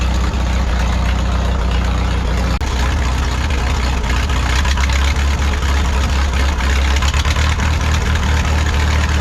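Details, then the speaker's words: 1951 Farmall M tractor on Champion D21 spark plugs, no manifold leaks found: lumpy idle with an intermittent knock or clank that went away once Autolite 316 plugs were fitted; the engine apparently disliked the D21s. "that uh intermittent knock or Clank or whatever you want to call it that went away when we put the auto light 316 spark plugs in it so my only assumption there is that the motor didn't really like those champion d21s"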